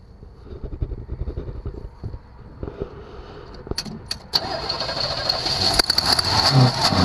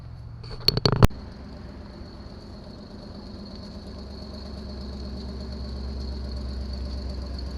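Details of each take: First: 1974 Chevrolet Nova with new electronic-ignition distributor and recently replaced fuel filter and kinked line: starter churns steadily, about three to four turns a second, but never catches; crank-no-start from fuel starvation, suspected obstruction between tank and carburetor. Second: 1974 Chevy Nova being readied for autocross, after a suspected fuel issue: a few clunks at start, then the engine settles into a smooth even idle with no stumbling or dying; normal running.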